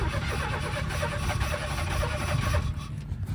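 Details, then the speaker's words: 1991 Chevy S10 farm truck, just started after a pump install: a rough, struggling idle that is hard to keep running, with a loud regular bad knock. Owner suspects the top end, possibly the fan hitting; source unconfirmed. "Well, we got it running. That ain't sounding good though. Not sure where that was coming from, but it's hard to keep it running. It's making that bad awful knocking noise."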